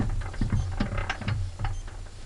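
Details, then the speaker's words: Petter A1 small engine, said to need a new bore, turning over: slow, even turning with soft gear whirr and light rhythmic thumps, no knocks or rattles; virtually no noise apart from normal gearing. "And when it looks that good and runs that well, as you can hear, it's virtually got no noise in there now apart from the gearing."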